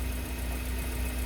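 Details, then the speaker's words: Suzuki Carry Futura 2018 after fuel pump replacement for misfire, bogging and poor idle with very white spark plugs: smooth, even idle with steady hum and no stumbling; engine running normally. "kita ganti fulpam mesin aman tidak terjadi masalah seperti biasanya"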